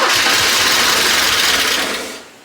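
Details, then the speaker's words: 1984 Porsche 944 left for years in a field: engine catches and sputters about two seconds, then dies away; won't stay started, and the mechanics suspect very dirty injectors. "stay started all [Music] right the pebble's not doing anything no push on it no it's it's moving it just a very long the injectors are dirty is that what it is injectors are very dirty"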